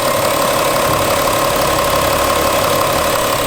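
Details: 2014 Porsche Cayenne 3.0 TDI diesel, about 315–320k km, after replacing injector 4 and refitting all six injectors with new bolts, washers and O-rings: even idle with steady clean clatter, no misfire stumble or knock.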